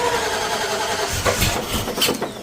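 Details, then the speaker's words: Ford Falcon XB GS hardtop V8, big-overlap cam, low vacuum, after adjusting lifter preload and switching a setting to race: catches with uneven, lumpy firing and irregular surges instead of a smooth idle; cause suspected, not confirmed. "Just change it to race, Sam, because we've got less vacuum and It needs more, because no vacuum air, it's just like cranky. Yeah, it's got that much overlap."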